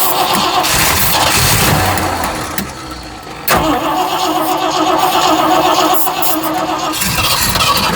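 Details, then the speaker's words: Cheap $80 Amazon carburetor just installed, first cold start attempt: starter cranks steadily, about four turns a second, with no firing. Fuel starvation; owners suspect low gas or a fuel pump ruined by dirty fuel. "Maybe needs fuel. Maybe it We ruined the fuel pump with this nasty stuff."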